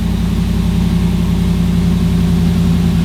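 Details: Hemi-swapped Jeep Wrangler after installing a PSC power steering pump and reservoir kit, mic aimed at the exhaust, some smoke from fluid on the headers: deep even V8 burble at idle, steady low hum, no knocks or misses; normal idle.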